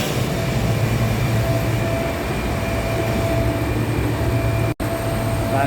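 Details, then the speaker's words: Gardner Denver screw air compressor on load after replacing defective pressure valve: steady low drone with faint constant whine, no more knocking; running normally. "status of the compressor, 2 on standby and 1 is on load. Okay, now the system is working properly."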